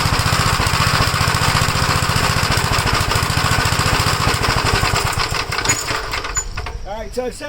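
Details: 1956 Gravely L, cold engine, with vacuum leaks already checked. It starts on the first pull but runs rough, its single-cylinder beat of about three a second stumbling unevenly. The cause is unknown, possibly inside the carburetor; the owner plans to try the cast-iron carburetor.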